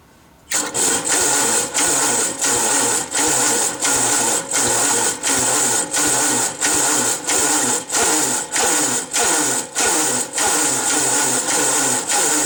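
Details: 1945 Gravely L, first start after oil bleeding, on gas with starter: starter whirs in short repeated bursts about one and a half a second, never catching; starter suspected not spinning it fast enough, had to be pull-started.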